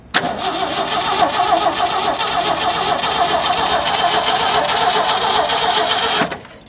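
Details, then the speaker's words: 1977 Ford F350 dually tow truck, long sitting, with its gas tank no longer hooked up; about six seconds of brisk, even cranking that never catches; turns over well but gets no fuel, so starting fluid is next. "This thing turned over so good, I'm gonna just jam some starting fluid down in there, and I assume because it had a gas tank hooked up to it before, the thing really probably only hasn't run"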